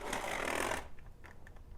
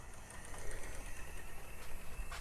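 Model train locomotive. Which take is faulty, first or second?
first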